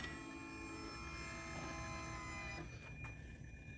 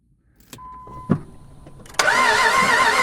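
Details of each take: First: Salvage Ferrari 360 Spider test fire after the transmission was remounted, with the engine bay partly assembled: after a quiet stretch it catches promptly and settles into a steady, smooth idle with a brief blip. Normal start and idle. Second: Jeep Grand Cherokee 4x4 auction trade-in cranked with starting fluid: steady ragged cranking roar that never runs; coolant bubbles show compression escaping into the cooling system, suggesting blown head gasket and low compression as the no-start cause.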